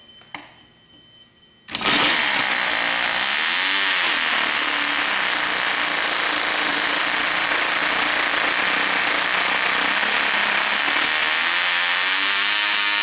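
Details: Old vintage Cox .020 glow engine, started with starter and glow plug igniter: a click or two, then a sudden high, piercing buzz holding steady with slight pitch wobble; running properly.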